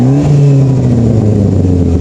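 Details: Saab 9-5: deep, loud, blatty roar that climbs with revs, with an open, unmuffled edge; huge exhaust leak from a flex pipe broken over the winter.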